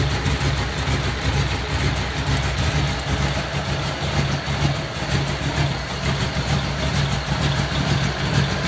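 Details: Model A roadster's old V8 (about 276 cubic inch, 4-inch stroke) idling after a year under a tarp, electric fan removed so it is run only briefly, generator belt misaligned: a steady, even low idle with a gentle lope, no knocks or rattles, healthy.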